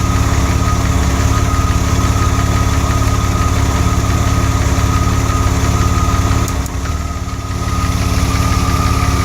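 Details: DeLorean steady idle with one clear stumble, a dip and sag under a second before recovering, noticed during cooling system work; an occasional misfire at idle.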